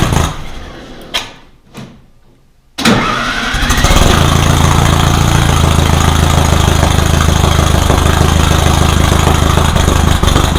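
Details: Rebuilt VW 1600 flat-four in a Baja Bug, first start after a two-year teardown: labored cranking with gaps before it catches, then a steady, slightly rough idle. Hard start because ignition timing was about 20 degrees too far advanced; retarded to fix.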